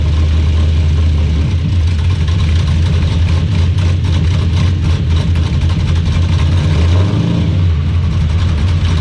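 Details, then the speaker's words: 1986 Chevy C10, in gear, camera underneath: deep, heavy, uneven throbbing drone. Driveshaft phasing checked okay; driveline vibration, with much play in the old factory Turbo 400 yoke, which may be junk. "there is a lot of play it's really loose it could be that the yoke is just junk that's a possibility"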